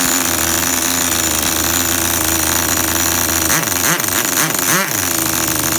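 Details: Tamiya TGS-R nitro RC engine after fix, air filter refitted: loud buzzy small engine holds an even idle and returns to the same steady idle after quick throttle blips, no double idle; normal idle.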